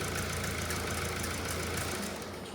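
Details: Mercedes E-Class OM654 diesel at idle: fast, hard slapping clatter like a bottom-end knock; actually a partly snapped drive belt flailing.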